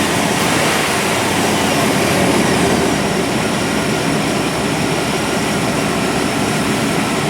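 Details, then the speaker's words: 1997 GMC 1500 5.7L Vortec V8 after new fuel pump and replacing a plugged fuel filter that caused erratic fuel pressure: steady, even rumble, no clear stumble, at most a faint flutter; running normally. "a lot better than it was well the fuel filter was definitely plugged got a little bit of flutter but i don't know that i'm going to worry about that too much"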